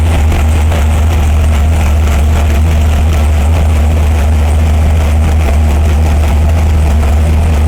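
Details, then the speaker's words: 572 Hemi V8, warming up on 94 octane (about 220 psi cylinder pressure): deep, even fast idle with no flames or backfires after the air-fuel ratio was fixed; head gasket leaking water at three corners. "so what we're going to do is we finally got it to run with the air fuel ratio we got no flames we got no backfires"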